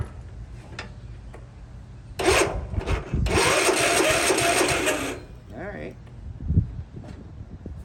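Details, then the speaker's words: Yard Machines 13/38 (1998) riding mower left sitting for years, cranked on a weak battery from an old mower; the starter churns slowly for about three seconds without catching; slow cranking from weak battery. "cranking very good but hopefully that'll be enough to at least list get a uh bark out of it if it'll even do that"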